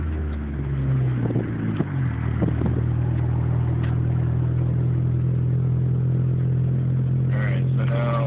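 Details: 2004 Dodge Neon SRT-4, idling while clutch worked in and out and gears selected: steady low hum dipping and shifting in pitch, then settling; erratic idle, owner suspects possible vacuum leak, unconfirmed.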